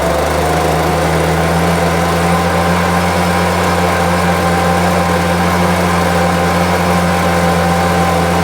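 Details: Homelite UT08572 small two-stroke after restoration: a steady, buzzy idle with even pitch and no stumbles or surging, running really well; owner will check whether the earlier tink noise is gone.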